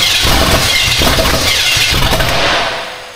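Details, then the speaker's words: Austin's Buick V8, first runs: rough uneven catch, irregular chuffs, stumbles and dies within three seconds; owner suspects it needs more fuel, not confirmed. "All right. Hold on. I think we need some more fuel already. That makes sense."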